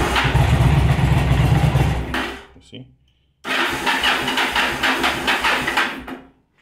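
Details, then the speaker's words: Yamaha V-Star 1100 Classic with carburetors flooding the spark plugs after a fuel pump replacement: uneven cranking that chugs, briefly catches and dies, backfiring and not running on both cylinders; carburetors to be removed. "okay it's backfired and doesn't run off of both cylinders"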